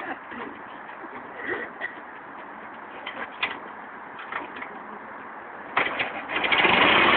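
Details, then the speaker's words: Ford Model T, hand-crank start with a little too much gas, needed to start: scattered clatter, then it fires and races up to loud, fast running; idle too high from excess throttle. "As soon as it starts, the car is going to race too much. It's going to be too high. I'm giving a little bit too much gas, but it needs that gas because it needs to have enough to start."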